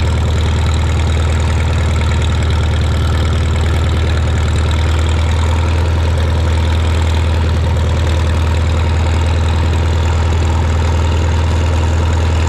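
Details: Shop tractor, either the John Deere 4020 or the Farmall Super M, just started with choke and throttle levers and driven outside. It holds a low, steady idle of about four beats a second with no knocking or missing. Normal idle.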